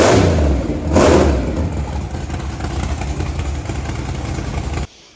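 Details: Blown 540 V8 drag car, first start after an 18-month build with a new 3.4 hp starter: catches with a loud blip, settles into a lumpy, choppy idle, then shuts off; normal start and idle.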